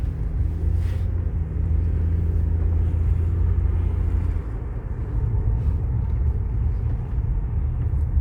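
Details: 2010 Toyota Sienna V6 at idle with code P0305: low heavy rumble with uneven lumpy pulse; cylinder 5 misfire, cause suspected, not confirmed.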